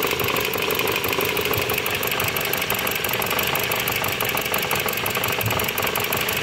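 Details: Dodge Journey 2.4 with replaced engine, computer and full harness: rough idle with a hard, steady knocking beat and uneven firing. The engine also leaks heavy oil and knocks like a rod or main bearing.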